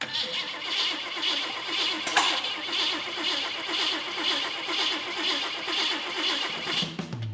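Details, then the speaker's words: Custom build engine, first start after a new fuel pump and new wiring, having run earlier: the starter churns steadily for several seconds but it never fires; crank, no start. A firing order or wiring issue is suspected. "I expected it to sing and fire right up just like it did when we first put it in the frame, but [music] uh we're NOT GETTING ANYTHING."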